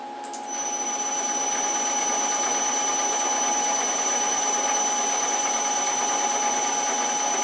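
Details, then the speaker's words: Belt-drive mill spindle with a modified extended quill on tapered roller bearings at 500 rpm: steady whine with light clicking and clatter that quiets when the spindle is grabbed and loaded; louder at higher rpm. "can kind of hear it clicking and clattering. I'll kind of grab the spindle a little bit and put a load on it, and it quiets down."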